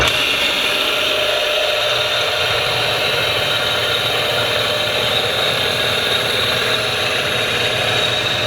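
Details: MG overdrive gearbox spun on a test stand: even steady whirring with light mechanical rustle, no grinding or clunks; gearbox turns over cleanly.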